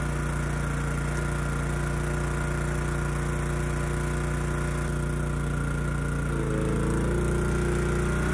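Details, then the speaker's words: Honda EG2200X generator, early-to-mid 1990s, no load, after carburetor cleaning with low-speed mixture screw reset to 1.5 turns out: uneven, lumpy beat with a wavering tone, not running smooth; air cleaner ruled out as a restriction. "so I don't think it's coming across in the video kind of what I'm hearing it's just not running smooth you know clearly it's struggling with something"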